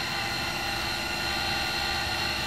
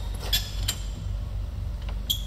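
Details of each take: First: Cincinnati Monoset MT tool and cutter grinder, main wheelhead running: smooth even whirr with steady hiss, no rumble or grinding, slight common belt noise at rear; spindle bearings in nice condition. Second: Cincinnati Monoset MT tool and cutter grinder with slides moving freely; short, sharp, irregular high squeaks over a low hum as the wheel turns come only from the handle on the handwheel. Handwheel handle squeak.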